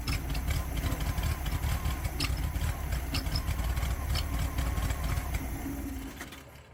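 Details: 1969 VW Beetle that stopped running; a rebuilt Solex downdraft carburetor didn't help. Rough, uneven chugging with stumbles, then it dies. A timing light showed intermittent spark at the plug; coil, rotor, distributor and points are suspected.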